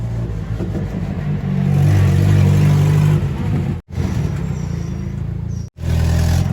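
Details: Toyota 22R four-cylinder truck engine idling and revving with a raspy, puffing edge from an exhaust leak.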